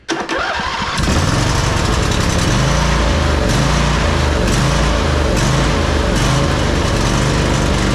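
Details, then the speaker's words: John Deere 145 riding mower, Briggs and Stratton V-twin OHV, run low on oil: catches after brief crank, then loud, slightly uneven beat with irregular pulses; suspected worn cam lobes from low oil, runs rich regardless of carb adjustment. "you can hear the way it's running, and it's a common symptom of worn cam loes from from running low on oil. It'll never run right."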